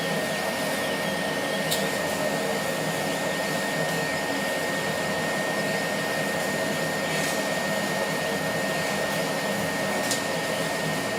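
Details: Laser cutter high-pitched whistle while cutting, cause unconfirmed: a thin steady whistle over fan and exhaust noise. It appeared after about six months of use, from the beam at the nozzle exit, not compressor air. Current rose 12→13 mA, with no uncut spots.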